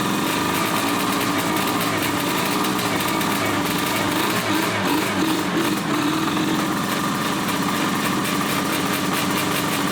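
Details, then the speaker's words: 1981 Suzuki GT250 X7 two-stroke barn find at its first start after a full rebuild: thin, buzzy, lopsided idle running on one cylinder; a carburettor fault is suspected, as covering the left carb intake brings the other cylinder to life. "Yep, definitely running on one cylinder. So, we've got, I believe, an issue with the carbs."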